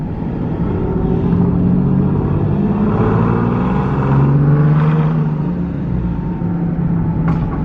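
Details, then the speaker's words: Nissan 370Z Nismo, single turbo, cruising with windows down: steady engine and road drone with faint tone under 200 Hz; rear whine persists after an attempted fix. Owner suspects the differential, not confirmed. "let's see nope I still hear it"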